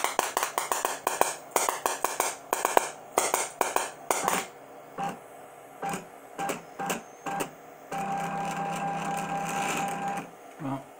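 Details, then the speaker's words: DIY CNC EDM machine cutting a grade 8 bolt: irregular bursts of crackling sparks stopping and restarting every half second; arc won't stay stable because the Z feed can't keep up, needs faster drop. "you can hear I'm trying to get a stable arc and it's not happening"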